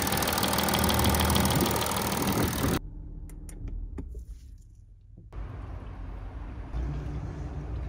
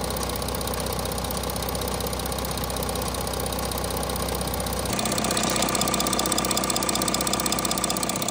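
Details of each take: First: Audi 3.0 TDI third-gen diesel, A8 D5, before repair: idle with high metallic chatter over the steady engine note, consistent with worn camshaft sprockets in the timing chain drive; dealer had called it normal acoustic noise. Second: Audi A6 C8 3.0 TDI third-gen diesel after camshaft sprocket replacement: even idle with a steady regular beat, no rattle or knock; engine noise sorted out.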